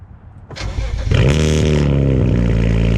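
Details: BMW with loose exhaust reinstalled and Cherry Bomb 12-inch glasspack, cold start recorded from the rear: short crank, catches within a second, loud deep steady exhaust burble settling into even idle; healthy start.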